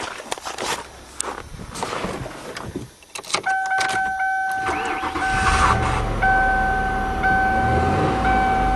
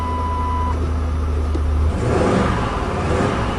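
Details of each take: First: 1997 Lincoln Continental V8 idling smoothly with a dashboard chime after repairing a burnt spark plug wire that caused a one-cylinder misfire; the puffy, thumpy sound is gone. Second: 1997 Lincoln Continental V8 idling after a cold start with a rhythmic pulsing miss from one dead cylinder; the coil pack was suspected but ruled out, and the plug wires are being pulled one at a time.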